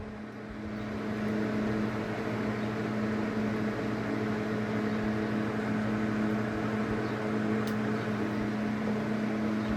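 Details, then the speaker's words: Centrifugal water pump motor tried with only a run (work) capacitor connected: steady, unchanging electrical hum with no run-up in speed, motor stays stuck; the run capacitor has too little capacitance to start it. "and we are going to see what happens. Observe how it stays stuck. We disconnect the run or work capacitor."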